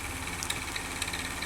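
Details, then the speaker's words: Household electric fan running with an annoying noise that comes and goes: a hum with a sharp ticking rasp about four times a second, from a dry, unlubricated motor shaft bushing. "مثل ما شايفين المروحه عم تصدر صوت مزعج مثل سامعين الصوت عم يروح ويجي ويجي ويجي سامعين هذا صوت مزعج"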